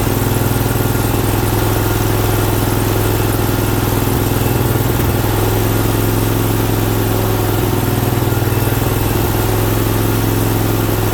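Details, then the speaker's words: Briggs Vanguard 20 hp V-twin at first start after oil cooler install, with the oil filter and cooler filling and throttle backed off from full. Steady, low-pitched, even running at constant speed, smooth and strong with no misses or knocks; normal running. "Just took a little bit for the gas to get up in there. So she was a little rough at first, but she evened right out. Sounds good and strong too, I think."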